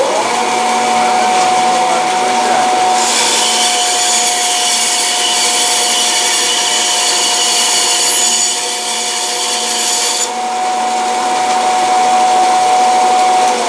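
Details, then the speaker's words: 1929 Wallace 16-inch band saw, single-phase 110 V repulsion-start induction motor, 1800 rpm motor with oil-filled reduction gearbox, new tyres: steady hum, clean rasp cutting 3¼ in stock quickly, speed holding; normal smooth cut. "this so that is uh 3 and 1/4 in by three and it did that quite quickly so uh nice smooth cut it's uh really smooth actually very impressive"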